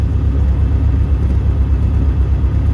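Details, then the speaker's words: 1971 MG Midget, rebuilt 1275 engine with about 200 miles, started cold with choke out; lumpy, uneven low idle that never settles, runs rough. Oil pressure reads high (about 80+), and it smokes once slightly warmed. Cause unknown. "and it doesn't blow smoke when it first starts but after it's warmed up just a little bit it'll start to smoke you can hear it runs a little rough too"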